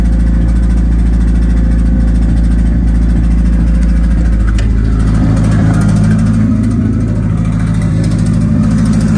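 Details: 1991 Nissan Hardbody just started after the 240SX turbo kit hot side was installed, with downpipe, O2/wideband and plug wires refitted. Low, lumpy, stumbling idle; runs rough, cause not yet found.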